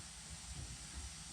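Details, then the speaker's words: Cheap used blaster cabinet's air filter regulator: a steady airy hiss over a low rumble as air passes straight through. The regulator is faulty (toast), passing air without regulating, so the cabinet was fed straight from the compressor instead. "so we have an update that regulator filter regulator thingy is toast just passing not doing anything"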